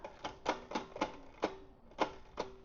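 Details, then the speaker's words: Electric tricycle during assembly, pedalled through the rear gears: sharp irregular ticks and clacks about twice a second as the chain jumps from low derailleur cable tension. Fixed by lengthening the cable slightly at the adjuster. "That's jumping a little bit. I'm just going to make the cable just a smidgen longer by adjusting."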